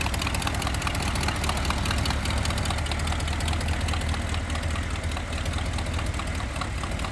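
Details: 1964 Ford Galaxie 500 convertible: steady idle with slight stumble and rapid light ticking keeping pace with engine; suspected exhaust leak underneath, location not found; plugs and wires may need replacing.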